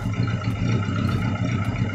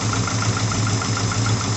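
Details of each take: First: Daihatsu Taruna first start after top overhaul for oil burning (white exhaust smoke); revved, the low, fairly even note holds with no stumble or missed beats. An earlier miss came from one valve clearance set too tight, losing compression; now on all cylinders. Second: Daihatsu Taruna first start after top overhaul for oil-burning white smoke: uneven lumpy idle stumbling about five times a second; one valve clearance set too tight lost compression, misfire cured after readjustment.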